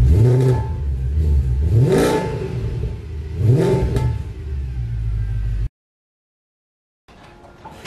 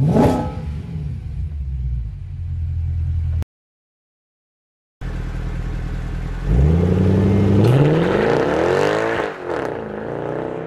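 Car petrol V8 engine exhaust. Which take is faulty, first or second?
second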